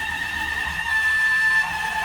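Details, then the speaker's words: 18-year-old heavily used Haas CNC mill, Y axis homing after the axis alarmed out mid-cut and the known-good X-axis motor was swapped in. A thin, steady high-pitched screech lasts the whole move with load swinging 0–100%, caused by a loose motor coupling screw rubbing the housing. "all right will it home well that doesn't sound good so the Y AIS motor here is"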